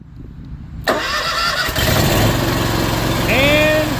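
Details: Kawasaki engine after a failed starter was replaced to fix a no-start: brief crank, catches at once and settles into a steady, even idle. Normal start and idle.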